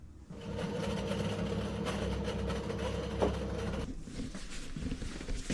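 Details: LG 6 kg washing machine on spin gives a loud, steady rumbling hum, the roar of a worn drum bearing before bearing replacement.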